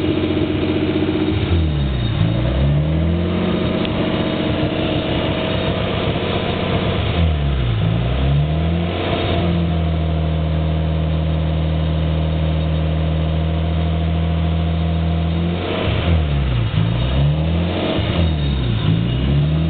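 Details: Nissan S13 with RB20DET turbo petrol engine: uneven idle, speed repeatedly sagging and recovering. Cause not yet found.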